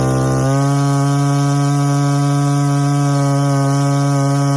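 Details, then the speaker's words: Two-stroke strimmer during carburettor tuning, just after adjusting the high-speed screw: steady high idle with a clean, even pitch, showing the idle speed shifted after the high-speed mixture change. "can you hear how that's now affected the idol now if we had adjusted the idol first we're going to be chasing our tail back forth back forth"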